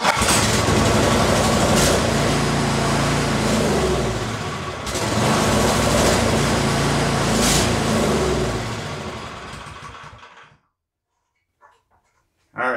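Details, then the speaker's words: Troy-Bilt Storm 5024 snowblower, Powermore 208cc engine, pull-started on first pull: runs steadily about ten seconds then falters and dies when choke is taken off; suspected clogged carburetor. "right so the pull start actually worked first first pull but uh as soon as I pulled it off a choke it uh wanted to die so that's a Surefire sign that the carb is all clogged up"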